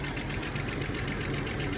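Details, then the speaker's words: 2000 Jeep Cherokee XJ 4.0L 4WD at idle after timing chain, crank seal, harmonic balancer and alternator replacement; light rhythmic rubbing tick from serpentine belt rubbing AC line because plastic clip holding line away was forgotten. "it was rubbing up against one of the ac lines down there because I had forgot to put in this plastic clip that kind of pulls the AC line out of the way"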